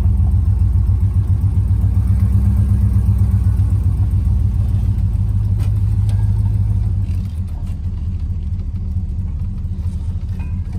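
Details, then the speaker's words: Plymouth Fury with Mopar 383 V8, choke on, running after a cold start: deep idle with a steady heavy knock of about four beats a second, starting to knock again; rod knock, engine to be pulled and rebuilt. "but the the engines starting to knock again so pull one in the shop pull the engine out of it and send it off to a guy to have it rebuilt"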